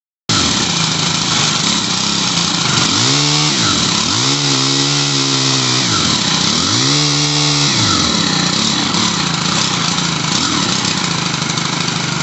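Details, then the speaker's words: Stihl HL100 pole saw two-stroke after new carburetor and fuel lines, warmed up: revs up and drops back cleanly, pitch following the throttle smoothly, idle slightly high; running fine, carb adjustment pending. "so all right so it really helps if you let it run for a little bit and warm up you got to get all the air bubbles out of the brand new carbs such like that but now it seems to be running fine idling a little high"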